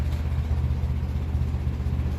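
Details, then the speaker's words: 1957 Ferguson 35 TVO tractor at operating temperature, after valve clearance reset: slow, even low thump idling just under 500 rpm, no valve-gear tapping, fan belt audible; normal warm idle. "very happily just under 500 reps per minute it's up to temperature doesn't have te shield on of course but we'll see what it's like now in a few minutes"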